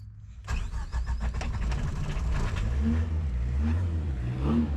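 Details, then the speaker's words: 1986 Suzuki Samurai with VW turbo diesel, out of gear after glow plugs: uneven cranking catches, stumbles, rough lumpy idle; very hard to start and randomly shuts off as if out of fuel, owner suspects injector pump. "but now it's very difficult to start and it will just randomly shut off acts like it runs out of gas or out of diesel"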